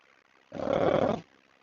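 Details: 2018 Subaru Forester XT at idle, AC compressor commanded on through a scan tool: a harsh, rough growl bursts out for under a second over a quiet engine and sounds nasty. Noisy AC compressor.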